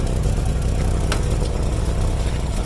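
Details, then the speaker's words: Idling car after a DIY exhaust hole repair with a soda-can patch and clamps: the patched spot no longer leaks, but a raspy puffing chuff from under the car shows another exhaust leak further up. "Well, it's not leaking there. It's not leaking there at all. There is another leak somewhere up here."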